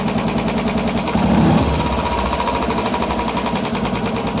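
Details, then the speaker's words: Royal Enfield BS6 single-cylinder at idle with overdue oil change: fast, busy ticking from the top end over a lumpy idle; the hydraulic tappets clatter because the oil is low, before the oil change. "അത് oil മാറ്റാൻ വഴി കഴിഞ്ഞാൽ oil കുറഞ്ഞു കഴിഞ്ഞാണ് tappet noise ഉണ്ടാവുക"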